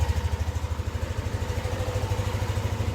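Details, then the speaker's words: Yamaha NMAX V2 scooter after repair of an engine knocking noise (engine opened, magneto cleaned): steady idle putter at about three pulses a second with nothing riding on top, idling normally. "Yan yung tunog ng makina mga boss, mga master. Mahal kong master. Ito yung tunog ng makina."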